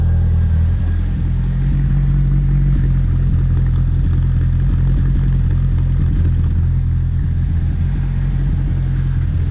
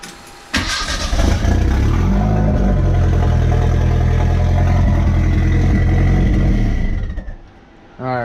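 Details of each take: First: Merkur XR4Ti after fuel system upgrades (fuel pump, filter, boost controller), heard after the exhaust was reinstalled: a deep, steady, even drone with no rasp or blowing leaks, much quieter; the exhaust is sealed and it runs healthy. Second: Merkur XR4TI being started and revved with its exhaust disconnected: starter cranks, then a loud, deep, raw unmuffled rumble with throttle blips, recorded as the before sound ahead of reconnecting the exhaust.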